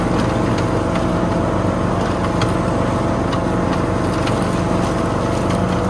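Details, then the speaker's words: Toro Z420 TimeCutter zero-turn mower after motor swap with new carburetor and fuel line, mowing foot-tall grass: steady, strong drone with occasional debris clicks; no bogging or stalling, running healthy. "Can't argue with that. Runs good. Didn't bog down or stall or anything."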